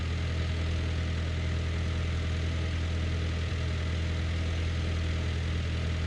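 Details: John Deere No. 5 sickle mower on a tractor PTO while mowing grass: deep, steady tractor drone holds an even speed under cutting load, no knocks or clatter; it cut perfectly fine, drive healthy.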